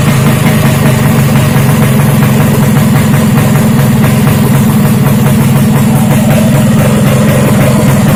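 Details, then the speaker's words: Freshly built Vespa racing two-stroke engine with direct reed intake, Japanese carburettor, uprated clutch and SRP competition exhaust, first start: strong even beat with steady drone, idling and revving cleanly without knocks. "Nah, dan di sini saya mencobanya menggunakan knalpot SRP yang tipe kompetisi. Nah, sekarang mau coba saya nyalakan dulu seperti apa bunyinya."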